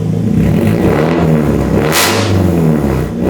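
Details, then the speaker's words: Nissan 240SX with owner-built engine warming up, headers and straight pipe: very loud raw rasp when revving with ragged crackle underneath; exhaust leak from a shot gasket. "We do have a little, it's just an exhaust leak, like that gasket right there is shot, but I really don't care about that."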